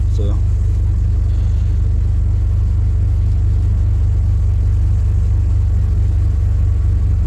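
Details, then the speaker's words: Cold start in cold, windy Pennsylvania weather: engine catches right away and settles into a deep, steady rumble with no stumbling; clean, healthy cold start. "I could have remote started it but I wanted to be here for the cold start but there's my remote start works really well oh well that wasn't even a struggle"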